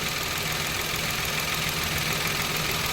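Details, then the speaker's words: Mitsubishi Mirage petrol engine, 26,000 km, idling steadily and quietly with no whine or grinding after bearing and grooved belt replaced; earlier noise traced to the failed alternator bearing. "start ikumpara po natin ngayon kaya yung kanina mga sir Oh wala na yung ingay"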